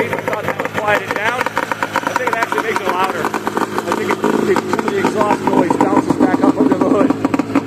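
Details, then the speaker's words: 377 Olympique two-stroke, rope-started, with a small exhaust underneath: a rapid, crackly idle with a harsh, raspy bark; the exhaust is unusually loud. "See what she sounds like. Oh yeah, that's loud."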